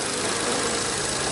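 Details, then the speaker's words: Serviced VW Up, just started after an oil top-up: steady, even hum with no misses or shaking, a smooth normal idle. "Pegou. Show. Motor já funcionando."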